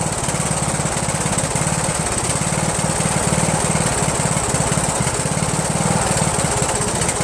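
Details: Rebuilt Briggs 17.5 HP engine repowering a Yard Machines lawn tractor, started on choke: fast putter with an uneven, lumpy beat at steady speed. Runs rough and backfires; owner suspects the carburetor. Rough running.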